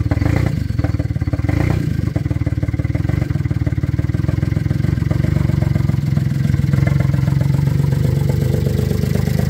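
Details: VW Polo first start after timing chain and oil pump replacement, in neutral: engine catches and settles into a steady, even run with a firm low beat, no knocking or rattle; sounds healthy.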